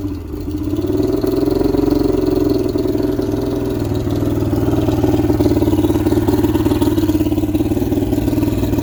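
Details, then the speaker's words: 1995 Astro 18FS boat's V6 135 engine on flushing water, cold start with warm-up lever up and a little prime after not running a while: catches and settles into lumpy, uneven wavering idle; rough running, cause unconfirmed. "I'm gonna give her a little bit of prime. She's gonna be angry because it hadn't run in a while."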